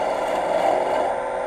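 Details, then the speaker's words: Lathe turning a 2x4 at about 1,500 rpm with a gouge dulled from turning dirty pine: steady rough scraping hiss with tear-out, no clean shearing; dull tool pushing rather than cutting. "so we're gonna take a look at this again will kick the speed up there about 1,500 you see all the chip out I'm getting right here still it's pushing too much"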